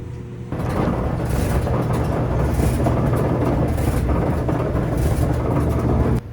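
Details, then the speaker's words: Samsung DV42H5600EP electric dryer after rebuild with new belt, pulley, drum rollers and felt seal: steady, even drum rumble with low hum, no thumps or squeals; noise mostly or fully gone. "Dryer is now going. Most of the noise seems to be gone, if not all of"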